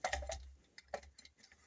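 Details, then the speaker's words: Irregular metallic clatters and ticks as a fairly new silencer from a 1975 Triumph Trident T160 is shaken by hand, off the bike: its internal baffle has come loose and rattles inside. "It's got a loose baffle. Hear that rattling? That's the baffle inside. This whole baffle has come loose, and that's going to rattle like hell and really annoy everybody."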